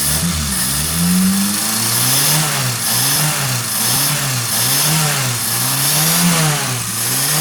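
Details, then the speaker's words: Suzuki Forsa after replacing and cleaning the spark plugs and cleaning the carburetor: engine blipped repeatedly, revs rising and falling cleanly with crisp response and no stumble; idle and revving now free and healthy. "Beda banget kan, Lur? Setelah kita ganti businya, kita bersihkan businya, kemudian kita bersihkan karburatornya. Suaranya sudah los banget, Lur."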